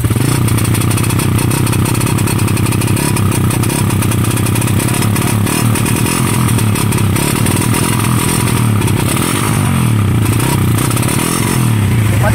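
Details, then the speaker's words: Raider 150 motorcycle: revs drop and stumble with rough popping and rapid backfire, RPM cutting out and no power; CDI had been converted to a Wave 125 4-pin unit. "sabi naputol parang napuputol yung RPM niya Ah kaya ko napansin una kong na-check wala ng RPM Ayan oh paputolputol"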